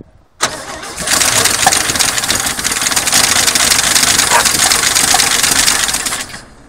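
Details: 1972 Chevy pickup, sitting about 24 years in a pasture, first start attempt with fuel priming: starter cranks steadily about five seconds with no firing, then stops; long crank, no start.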